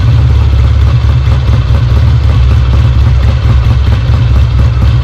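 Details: Restored Kawasaki W1 twin, first start after rebuild, with oil flowing from the oil pump lines: deep, steady low throb ticking over evenly with no knocks or misses; it runs fine.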